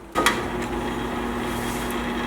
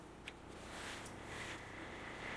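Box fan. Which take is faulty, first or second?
first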